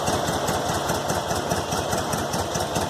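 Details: VW Fusca air-cooled petrol engine idling after tightening a loose cylinder head bolt: steady, busy chatter with no odd knock or tap; the earlier strange, exhaust-like noise is gone and the idle is normal.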